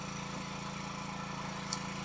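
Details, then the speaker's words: Kawasaki 9hp single-cylinder engine after replacing a cracked (new) spark plug, carburettor gaskets redone: steady even beat at constant speed, no misses or knocks; idles, accelerates and starts on choke, running normally. "C'est le top, il fonctionne. Il tient le ralenti, il accélère, il démarre au starter. Il est nickel."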